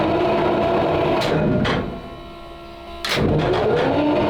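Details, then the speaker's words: 12-litre 12-cylinder petrol tank engine with magnetos, choke on, cranked on the starter: steady churning about four beats a second, a sagging pause, then more cranking without catching, strong petrol smell; no start, battery suspected getting flat and cranking too slow for magnetos. ">> Can smell plenty of petrol. >> Yeah, sure can. >> We might have our first uh failure to start."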